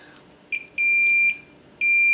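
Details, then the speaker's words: K7500 25-inch arcade monitor chassis, meter continuity test on the horizontal output transistor: steady high beep on each probe touch, showing a dead short; poly cap C718 usually reads shorted along with it. Shorted HOT. "hot is dead short interesting"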